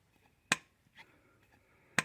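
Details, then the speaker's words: Lotus Elite Stromberg carburetor, rear carb with a new diaphragm, piston lifted and released: two crisp metallic clacks as it falls and seats straight away with no lag; the earlier delay was the diaphragm, now fixed. "All the way up. That's a nice fast. And you can hear it."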